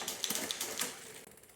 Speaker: The rubbing you can hear is these little bits of rubber still on the new tire. That's just pinging against the brake blocks here. You can hear those rubbing.